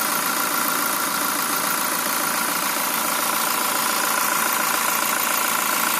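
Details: Fortuner VRZ engine at idle: regular light "duk duk" tapping about three or four times a second over the idle; cause of the knock unknown.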